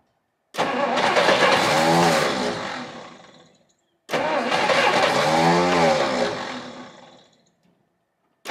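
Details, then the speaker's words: 1959 Studebaker Lark, 259 V8, sitting 36 years. After cracked spark plug wires were swapped, two long cranking runs churn steadily and slow down with no firing. Owner suspects the spark plugs, not confirmed. "well it's trying but uh it's all I got time for today so I guess they get more plugs"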